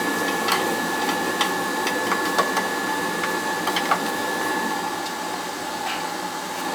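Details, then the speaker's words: Riello oil burner on an NTI boiler, annual service, TT jumped to fire: steady even roar with a constant whistle, no pulsing or rumble. It runs clean after a new nozzle and boiler cleaning earlier this year. "Burner head running, it's running clean, just a new nozzle."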